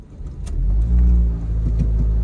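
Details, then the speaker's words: 2008 Ford Focus 2.0 on a test drive, pulling away with a heavy booming drone and tons of vibration. Dash items rattle and pedals tingle; owner thought it was exhaust, but the cause is a failed engine mount. "I hope that the level of noise comes through in this video it is really noisy tons of vibration though it does sound like exhaust but it is just droney in here stuff on the dash is rattling"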